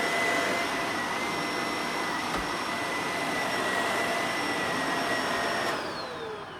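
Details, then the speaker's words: Shark Navigator Lift-Away ZU651 vacuum after repair for poor suction (power nozzle clog cleared, filters serviced, hair cut off brush roll); steady even high-pitched motor whine, no pulsing or rattle, winding down smoothly; suction okay, normal running. "So that was a good fix. Suction's okay. It's already dirtied this thing up."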